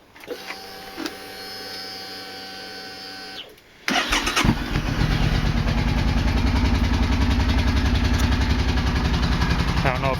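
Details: 2005 Suzuki Boulevard C50T V-twin at idle, carburetors being serviced: quick, even light ticking over the thump, the "angry sewing machine" sound from the front cylinder; owner plans valve adjustment for suspected loose clearance.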